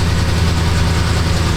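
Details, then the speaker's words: 2006–07 Jeep Grand Cherokee 4.7 V8 with engine light on: low, lumpy idle with an uneven beat; dead miss, code P0304, cylinder 4 counting misfires at idle despite a new coil. "I mean, it sounds like a dead miss to me."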